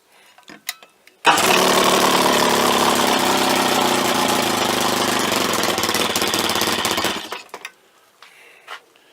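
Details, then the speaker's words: Outboard on a Nardi Esprit hookah dive boat, test run: fires instantly and runs strong and even for six seconds, then shuts off cleanly. Normal running. "Hey, y'all want to hear the sweetest sound known to man? Maybe not all men, but for this man, for sure."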